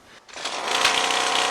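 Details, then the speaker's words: New Ryobi CY252CS two-stroke curved-shaft trimmer, cold start after 10 primer presses and full choke, then half choke: buzz catches within a second and climbs to a steady high-pitched run, may stumble before moving to run; normal. "It'll stumble a bit, but after 10 seconds or so you can move it to run, and then you'll be ready to go."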